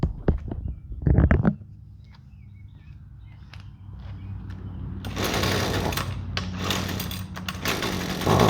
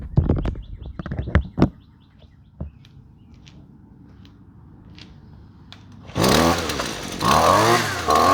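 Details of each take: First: Husqvarna two-stroke trimmer with a generic tune-up-kit spark plug instead of the recommended QCJ8Y: after a few pulls it runs ragged, surging and dropping out, completely unusable; rough running from wrong spark plug. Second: Husqvarna two-stroke trimmer after fitting the correct spark plug, since a wrong plug stops it running. Fires at once and revs up and down crisply without bogging: normal running.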